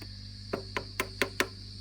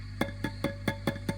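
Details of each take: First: Fender Princeton Reverb (brought in for squealing and feedback), tap test with volume nearly full after replacing preamp tubes V1 and V3: sharp dry taps die instantly over a steady low hum, with no ringing or howl. No microphonics. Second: Old Fender Princeton Reverb with squealing and feedback complaints: tapping a preamp tube with a toothbrush sends sharp knocks with a ringing tail through the speaker over steady hum, even at zero volume. The preamp tube is microphonic.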